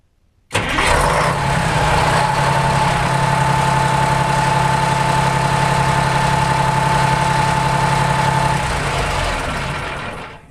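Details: Terex 72-51B diesel after fan belt replacement: engine catches at once and settles into an even, steady idle with a smooth beat and no knocks or slapping; healthy.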